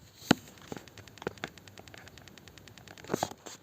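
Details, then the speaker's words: BMW E60 with battery drain, ignition off, terminal 15 staying live (faults 29AF, 299D, failed IBS battery sensor from water leak): sparse dry uneven ticks from the fuel tank vent valve, continuously powered, stops when disconnected. "es porque la válvula está trabajando también y no para de tener tensión continua"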